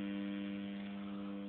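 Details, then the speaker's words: M-Audio Conective soundcard output powered by a 9 V AC adaptor with nothing else connected. A steady, low electrical buzz at one pitch. Grounding the unit stopped the noise, and removing the adaptor gave clean sound. Electrical hum; owner suspects a faulty card. "That's a nice, clean buzz that we can hear"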